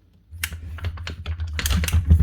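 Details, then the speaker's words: Virutex MC16L self-feeding door lock morticer, hand-cranked ratchet feed: uneven ratchet clicks stumble over a low hum as the handle turns, stepping the motor down each rotation; feed stiff and rough, not smooth, from a missing bush and washer. "It's just not acting very smooth."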